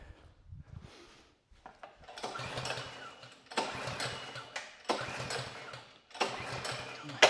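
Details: Bolens two-stage snow blower, Powermore 165-WU 179cc engine, after draining bad gas from the carb bowl, on choke and primed: several recoil pulls that spin and die without catching; won't start, spark plug checked next.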